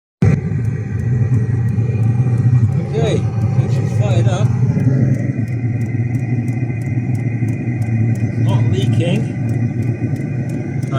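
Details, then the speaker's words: Chinese diesel heater after swapping to a quiet fuel pump with larger tube, exhaust running: steady low roar with light even pump ticking about two to three clicks a second; quiet, normal running. "can see anyway so and it's quiet"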